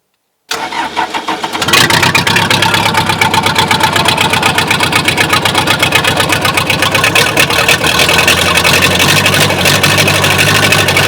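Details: Old backhoe diesel, sunk underwater for seven months, after recovery and care: brief crank, then it catches and settles into an even idle of about four firing pulses a second; runs clean.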